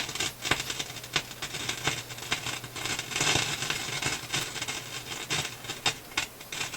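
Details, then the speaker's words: Philips console stereo tube receiver; sharp irregular pops and crackles over faint hum, scope at 50 V/cm shows high-voltage supply dropping with each pop; whatever causes popping also pulls supply down; loud popping, cause not found. "So what I'm seeing is with the pops, I'm seeing the high voltage supply drop. So it's cause and effect here."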